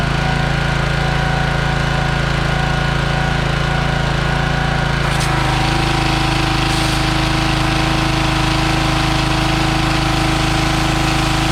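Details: Troy-Bilt pressure washer (believed Briggs & Stratton, auto choke), previously a no-start with varnished-smelling fuel, now running: a steady, even low drone with a slight pitch shift midway. It is running smoothly.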